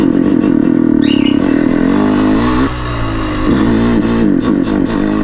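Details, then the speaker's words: Two-stroke bike running too rich: engine drones low and bogs at low rpm, revs sagging instead of picking up; rich mixture gives blue smoke and no power, also when started cold. "another example we have when your two-stroke starts bogging especially on lower prem exactly the same happens when you start cold is smoking on lower prem that's why you have smoke and no power together"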